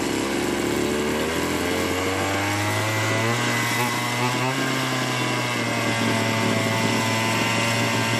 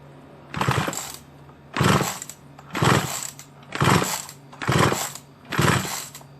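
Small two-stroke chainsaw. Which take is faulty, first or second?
second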